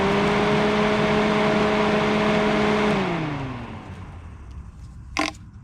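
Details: 1988 Mazda 323 front electric cooling fan, previously not working, powered directly and now running. Possibly corrosion was jostled loose. Steady electric whir with a clean hum, winding down smoothly after power is cut. The fan motor is working normally.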